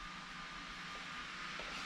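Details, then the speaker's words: Titan TTC-SC60(B)+ circulation fan at the 100% max setting, in an RV; quiet steady airy hiss with a faint motor hum, no ticking or wobble, not obnoxious; normal running. "You can hear it running. It's not an obnoxious But that's 100%."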